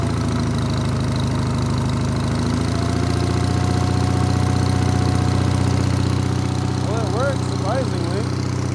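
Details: Onan engine on a Davis/Case trencher after a quarter-turn adjustment: steady idle with regular light knock about four per second over low drone while backing up; cause not found.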